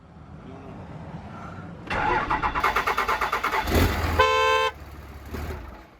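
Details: Diesel pickup with a suspect transmission, first start after sitting, with a new battery, the neutral safety switch being bypassed, and the downpipe unhooked. Cranks and catches, then the horn blares in a long steady honk over a rough idle; the transmission is freaking out.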